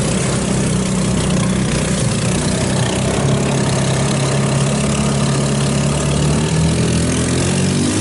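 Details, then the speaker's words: Hammerhead off-road go-kart, GY6 150cc engine, after carburetor clean/rebuild removing contaminated water-jelly fuel; steady smooth idle, still slightly rich, choke may need more warm-up before coming off; running normally now. "I think it's been you guys like it sitting there idols purse along a little paint it's still a little rich it might need to warm up a little more the choke that is and come off but"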